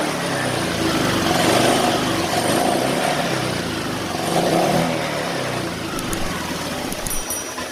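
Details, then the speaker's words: Honda Vario Techno 125 injection, which had bogged and run rough on initial throttle, after an ECU fault was fixed: the engine picks up cleanly when blipped and revs rise and fall smoothly. Throttle response is now normal. "motor ini sudah normally teman-teman teman-teman bisa dengar sendiri tadi cara saya menggas motornya pun sudah spontan"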